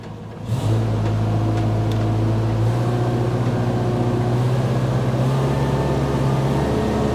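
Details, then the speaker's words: Bobcat 542B skid steer, started after throttle/governor repair. Catches and settles into a steady, even idle with a faint constant whine from a noisy fuel pump. Engine runs smoothly. "all right we're going to start it up and see how this new fangled throttle Contraption Works a noisy fuel pump it's idling probably Max"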